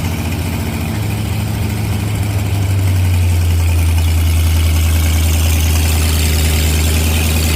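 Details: 1986 Ford F150, 351W with Holley Sniper EFI and HyperSpark distributor, first start after the distributor was re-clocked with number one set correctly; deep, even V8 idle with a steady throb and no misses or knocks.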